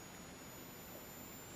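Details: Olympus XA4 Macro 35mm film camera, flash on button-cell batteries: a thin, steady high-pitched whine at one pitch as the flash recharges quickly after firing and signals ready. Normal flash charging.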